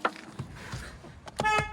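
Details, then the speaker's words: Mazda CX-3 after replacing the broken, rattling horn: short loud bright blasts with clean steady tone, much louder than before; healthy horn. "yeah that's way better that's way better way better I could actually hear it now"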